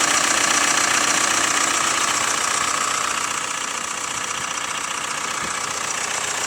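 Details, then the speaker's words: Hyundai ix35 CRDi 136 hp diesel, cold idle after sitting half a day at -1°C outside: a fast, even, light metallic clatter over the engine. Owner suspects hydraulic lifters or the chain tensioner; the cause is unconfirmed. "вот прям слышно клацанье. Не так, чтобы очень, но вот слышно. Вот, это пока на холодную."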